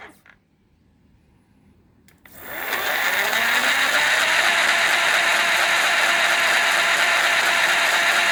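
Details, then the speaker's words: CY Gold 48V 500W BLDC mid-drive motor (about 4000 rpm) with reduction gearbox (260 rpm output), run dry without oil: steady high whir with a rough, gritty gear rasp; unlubricated gears, noise said to go away once oil is added. "इसमें थोड़ा है आवाज आपको महसूस होगा क्योंकि इसमें oil अभी डाला नहीं है जैसे ही आप इसमें ऑयल डालेंगे इसमें फिर आवाज बिल्कुल भी नहीं आएगी मैं इसको सूखा चला रहा हूं"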